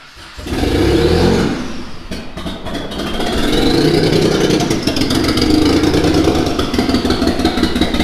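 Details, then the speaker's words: Mitsubishi 3000GT VR4 with new 6G72 twin-turbo engine on first start, slight fuel leak at wet threads: catches into an uneven, lumpy, stumbling idle like a missing cylinder; rough running, owner suspects something unplugged or a misfire. "Why is it running like such dog? It's like running like something's not plugged in, right? It's running like something's misfiring."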